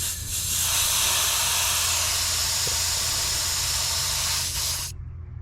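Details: 2020 GMC Sierra with newly installed Ridetech rear helper air bags, let down from 90 psi to about 10 psi: a strong, steady high hiss of air bleeding from the bag, cut off suddenly when the valve closes. Normal deflation.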